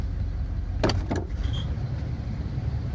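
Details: 1978 GMC Diplomat Class C motorhome after repairing a shorted dual fuel tank switch, dropped from high idle to normal idle on the right tank: steady, even low rumble with light clicks; engine idles smoothly and normally.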